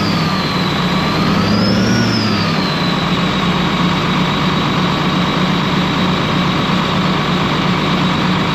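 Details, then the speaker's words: Ex-US Army Cat D6R bulldozer diesel, 822 hours, oil coming from cylinders where injectors dropped: clatter climbs briefly with a rev, then settles to an uneven, lumpy beat; still running rough, number 6 not reacting to cut-out. "You guys see a lot of oil that's just coming out of the cylinders where we dropped those injectors. So things still running rough."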